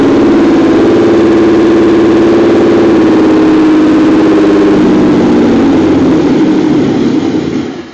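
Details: Nissan 300ZX Z32 twin-turbo with the airflow sensor disconnected and the idle adjusted slightly higher. The idle hunts and stumbles with an uneven, wavering note, then dies away. Rough running, cause not yet found.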